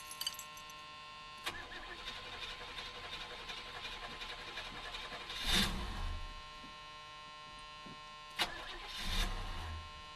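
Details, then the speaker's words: Oldsmobile 403 V8 in a G-body, after the carburetor was cleaned of carbon, fixing a no-idle, four-cylinder-sounding miss: cold start catches and idles with a few brief stumbles, then runs evenly enough for a cold engine. "Other than a few hiccups, it seems okay. Thing's just cold."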